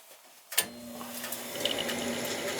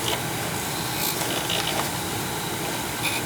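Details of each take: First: 43-year-old Bryant gas furnace after its noisy, dry top motor was oiled: after a click the motor settles into a quiet, even hum with no squeal or grinding. Much quieter; it is a temporary fix. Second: Old Bryant gas furnace reported making loud, fluctuating noise at night: rough, uneven whirring hum with faint irregular rattles over a steady roar. The motor up top sounds rattly and dry. Furnace blower motor needing oil.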